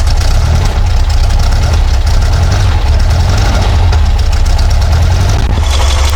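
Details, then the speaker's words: Porsche 912, Dellorto DRLA carburettors, after the update kit and a test drive: low lumpy idle with an uneven beat and hollow chuff, running on three cylinders; owner suspects a plugged idle jet, later found to be cylinder four. "so after yesterday's test-drive we decided to run on three cylinders again when we got home looks like number three so I suspect there is a plugged idle jet in there"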